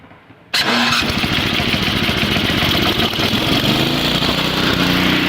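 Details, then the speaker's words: Two-stage snowblower, four-cycle engine, electric-start cold on full choke, choke immediately moved off one notch: catches at once into a steady, rapid single-cylinder beat, then sputters slightly while warming about 30 seconds, signalling the choke can come off further. Normal start. "okay i've taken the choke off one notch now we're going to wait about 30 seconds while the engine is warming up we can disconnect the power cord and you'll hear that the engine is kind of sputtering a little bit that's an indication that the choke is ready to come off one more knot"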